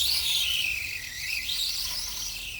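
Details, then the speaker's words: Redcat Volcano 16 mini monster truck after brushless conversion, non-adjustable mesh: high thin whine rising and falling with motor speed; poor pinion-to-spur gear mesh, gears not damaged. "the gear mesh is still not perfect so it's it absolutely screams like and it's not in a good way it's a very unpleasant almost like high-pitched squeak like squeaking noise"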